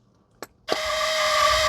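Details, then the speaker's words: Dixie Chopper zero-turn mower no-start, microphone placed under mower near starting module: click at key-on then steady high electrical buzz, no cranking when start attempted; faulty starting module (ignition switch also bad). "Hear that buzz? Hear that buzz? All right, key is off. Key is on."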